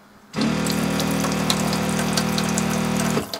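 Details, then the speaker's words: Loud, steady buzzing hum from the fresh-water pump in a small camper van (50 L fresh tank, pneumatic-style hoses, no leaks). It runs about three seconds, then cuts off. Too noisy; insulating around the pump is suggested. "Le seul problème est le bruit de la pompe, qui est vraiment bruyante. Je ne sais pas quoi faire à ce sujet. Peut-être une isolation autour de la pompe."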